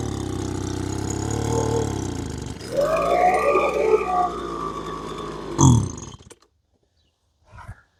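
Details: Lesco LHB 2500 handheld blower that won't rev, first start with choke up; owner tends to run a rich oil mix, muffler screen to be checked. Two-stroke fires, tries to climb, sputters and quits: lean carburetor mixture at high speed.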